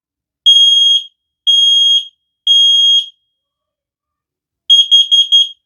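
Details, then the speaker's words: X-Sense wireless interconnected smoke and carbon monoxide detector test siren, measured with a decibel meter: loud, very high-pitched beeps, three even half-second blasts then a broken fourth; normal alarm test. "you see there it gets very high and it is very loud"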